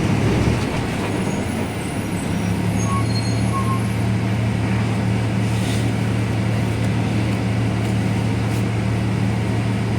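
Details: Caio Apache Vip 4th-generation city bus on Mercedes-Benz 1724L chassis, cruising: steady low drone holding pitch under the diesel, with road rumble behind. Differential described as roaring very loudly; differential whine.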